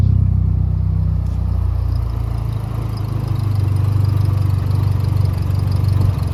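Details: Nissan 240SX S13 KA24E drift car on its first start after a blown turbo was replaced and oil primed by cranking: it fires and settles into a smooth, even low hum with no knocks or whistles, a normal steady idle.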